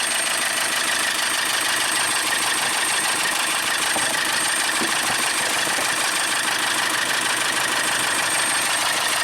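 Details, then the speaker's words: 2012 VW Tiguan GDI turbo, about 4,000 miles after a high-pressure fuel pump replacement, that stalled on the highway with possible low-oil-pressure warning, restarted after oil top-up: steady idle with fast diesel-like clatter about three ticks a second, oil spraying; lubrication-related knock suspected. "Sounds like a diesel. Wow. See that oil spraying up there. Not a good sound."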